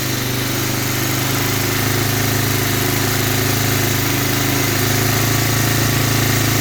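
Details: 1985 Honda Big Red 250ES, first start after carburetor rebuild, fuel fed from a bottle: loud, steady single-cylinder putter at even idle with no misses or knocks; engine running smoothly.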